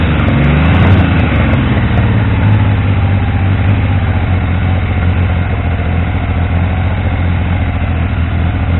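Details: Triumph T150V triple, first run after head and cylinders came off to cure oil leaks; started on the 2nd kick. Steady, even idle with a firm low beat and smooth throttle rise, no knocks; no leaks.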